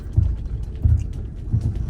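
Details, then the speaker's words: Low-mileage Land Rover Freelander driving up a wet, slippery driveway with flowing water: low thumps in uneven bursts, a few per second, as the older traction control pulses the brakes; normal traction control brake pulsing. "These old systems, you can just hear it pulsing, just do, do, do, do, do, do, do, all over the place. It's very interesting."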